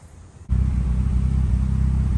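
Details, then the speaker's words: 2006 VW Golf GTI running after a long haul up a hill: a lumpy rumble with intermittent skips and a pending cylinder 3 misfire code. Coil packs are to be replaced. "we just did a long haul up a hill and it did start misfiring pretty badly we've got a pending code for cylinder three"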